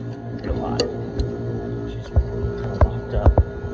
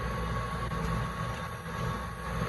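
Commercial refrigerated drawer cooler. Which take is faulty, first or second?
first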